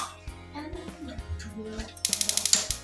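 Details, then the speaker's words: Wasser gas water heater that won't ignite, solenoid tested manually: sharp crisp clicks about three per second show the gas valve solenoid pulls in and is still good; fault lies in the on/off switch button. "Pasti dia bunyi cetak, itu berarti solenoid masih bagus ya."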